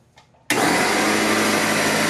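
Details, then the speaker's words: Old Craftsman pancake air compressor, about 17 years old, running and pressurizing: kicks on sharply with a steady loud drone and constant hiss of air escaping; air leak from the compressor pump. "so as you can see air is escaping so we'll open it up and see what we can find"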